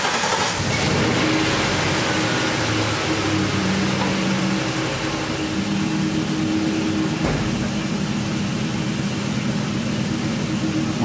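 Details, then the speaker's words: Ford F-250 idling after the leaking hose was temporarily patched, cleaned with carb cleaner and taped. The idle is now steady and quiet with a soft low hum. The earlier hiss and the coil spark clicking are both gone, giving a normal idle. "pues ya nuestro motor se oye silencio ya nos escuece es escuchar ese chino incluso el ruido de la bobina que expiraba tampoco ya se escucha"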